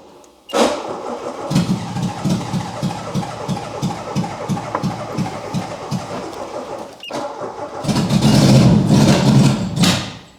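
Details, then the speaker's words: Citroën C25 camper not started for a long time: starter churns evenly at about three turns a second, pauses, then catches and revs after fuel is poured into the intake; owner suspects it was out of fuel. "to be honest I think it's that it's out of fuel it's been a long while since I fired it up last time and I don't think I put a lot of fuel in so it's probably just evaporated or something"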